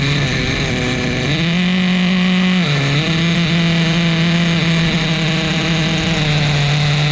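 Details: Repaired vintage 2000 Duratrax Nitro Quake RC monster truck, TORQ 21 Big Block nitro engine, preliminary first start, deliberately rich tune: steady buzzy drone that climbs briefly and settles back; runs clean and even.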